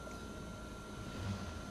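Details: Changan UniV at idle after a cylinder 3 misfire code (P0303) was cleared: short, steady, low, even idle with a faint constant whine and no stumble, and the check engine light is off. Normal idle.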